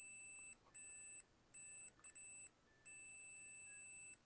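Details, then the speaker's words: Roland Juno-106 voice chip repair, epoxy removed, jumper line wired from resistor to third pin: clean, steady high continuity beep in separate bursts as each point is touched; good connection. "So that circuit is well connected to this part of the resistor here. It's well connected,"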